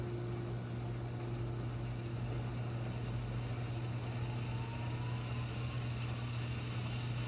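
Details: GE Hydrowave washer after washer motor replacement (not-spinning fault): quick drain and spin gives steady low hum, smooth even drone, no grinding or thumping; normal spin.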